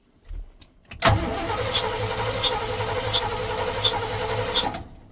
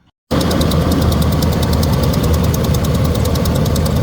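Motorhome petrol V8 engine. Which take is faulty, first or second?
first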